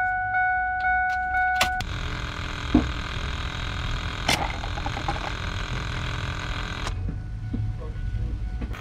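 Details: 1999 Ford F550 7.3 Powerstroke diesel no-start, key on: chime, then the frame-mounted lift pump buzzes about five seconds and quits, sounding feeble; it was aerating fuel and not filling adequately, so it was replaced.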